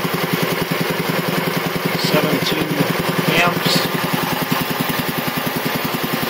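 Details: 1975 Quincy QR 325 compressor (pump ROC 10), now on a single-phase GE 5HP motor, pump at 621 rpm instead of the factory 796; smooth, even piston thumping as pressure builds quickly. Runs quiet, normal.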